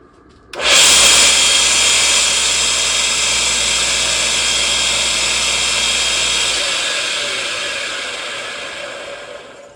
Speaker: Okay, I have this Delta 1 in belt sander, and it works fine, but it sure is noisy.